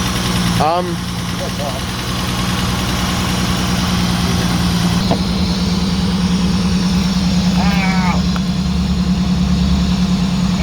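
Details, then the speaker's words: Holden Commodore VS with Ecotec engine, boiling coolant: uneven lumpy idle with irregular stumble about three times a second, dropping cylinders; misfire from blown head gasket. "yeah so she's running like a [ __ ] dog yeah she's running like a piece of dogs [ __ ]"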